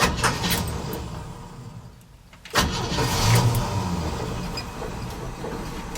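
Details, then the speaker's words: 1968 Chevy C10 after carb tuning, restarted warm after a drive and a few minutes sitting: brief crank, then it catches at once and settles into a steady, even idle with no misses; normal warm start. "Just listen to it purr. That wasn't a cold start, in case you were wondering."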